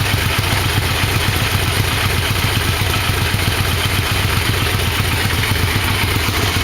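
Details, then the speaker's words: 1987 Yamaha V-Max V4 after engine installation and carb sync via gauges: steady, even idle with smooth low burble, no hunting or misfire; idle slightly low but the engine runs fine. "anyway successful motor installation it all seems to work fine"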